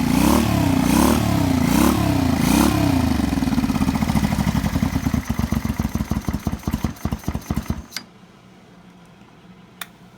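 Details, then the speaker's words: 1985 Honda VT 500 V-twin being parted out, carburetor clean inside: strong revving that winds down cleanly to a stop near eight seconds, crisp even firing, no knock; engine sounds sound. "really what this was for is just to show you that the carburetor is good and cleaner on the inside than it is on the outside, and also the engine, and it runs."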